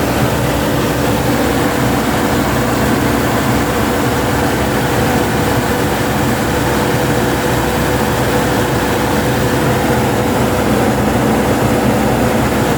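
Steady, even engine hum with no knocks, misses or hunting; the van is idling smoothly.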